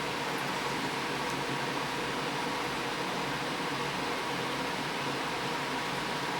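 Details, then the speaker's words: DeLonghi Pinguino PAC N120EC 12,000 BTU portable air conditioner (R410A) on high fan with compressor running: steady, even rush of air with faint low hum, no rattles or squeals; quieter than expected, normal operation. "so it's really not that loud and I'll turn the mode to dehumidify"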